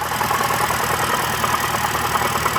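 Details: 2006 BMW E90 325i with N52 petrol engine at idle: a fast, even ticking on top that sounds like lifter tick, persisting after an oil change, actually caused by a loose A/C compressor bearing.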